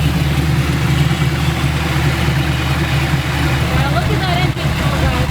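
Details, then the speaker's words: Car named Envy driven toward Willow Springs track, sounding louder than normal: steady low idle with a slightly uneven, lumpy beat under wind noise, car shaking a little; rough idle, owner suspects a misfire. "Yeah, definitely looks and sounds like she's misfiring. The idle sounds a little rough. The car's kind of shaking a little bit."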